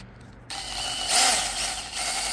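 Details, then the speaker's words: New drill-driven chainsaw attachment after oiling the chain: bright even buzz and hiss, no squeal or grinding; oil quieted it down a lot, chain running freely. "yeah that seemed to have helped it a lot quieted it down"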